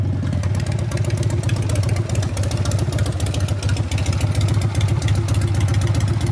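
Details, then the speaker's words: 1999 Harley 80ci Evo rigid on road test after repair of a previous clanking: solid low thumping pulling cleanly through the revs, no clatter or loose rattle; engine tight and healthy. "I didn't do any burnouts but it went through the gears pretty good and it definitely pulls"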